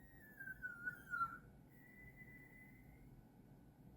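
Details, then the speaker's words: Xenon plasma toroid globe on ~15 MHz LC RF driver: thin high whistle wavering and dipping, dropping out, returning steadier and fading; builder suspects the gate is overdriven, unconfirmed. "my first impression of really what that is is that's that's that gate being overdriven um so that's why it actually makes that noise"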